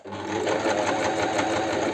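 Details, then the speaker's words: Astralux M10 sewing machine after repair (it hummed but would not sew, the mechanism was stiff); steady, even stitching chatter at a quick regular pace with no knocks or binding; machine sews normally. "Ну все машина работает"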